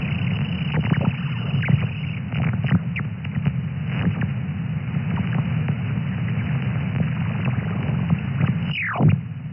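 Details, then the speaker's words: HF QRM heard in Thailand on an SDR receiver via a 5- or 6-element Yagi about 15–20 m high, beam turning toward northeast: steady hiss, irregular crackles, a falling whistle; noise level changes with beam direction; owner rules out power lines; source unknown. "And you can see on the band scope, there on the waterfall, there is a lot of noise. There's a lot of QRM, and you see these spikes."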